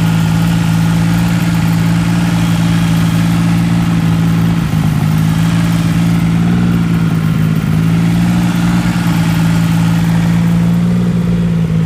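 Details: Triumph Rocket III motorcycle idling unevenly, low drone wavering and dipping as revs hunt; erratic idle fixed with a new throttle position sensor and recalibration via TuneBoy.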